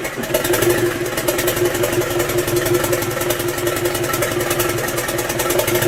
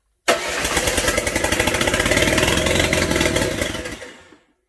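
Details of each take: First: Land Rover 300Tdi diesel in a Ferguson TE20 tractor, 24-volt starter with 12-volt fuel solenoid supply, runs steadily with an even knocking beat and holds its speed, no misfire or stumble; normal running. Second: Land Rover 300Tdi diesel swapped into a Ferguson TE20 tractor, lift pump not working, no turbo pipe or exhaust fitted, cranks evenly for about four seconds but never catches; air in the system and milky water in the fuel; crank-no-start fuel fault.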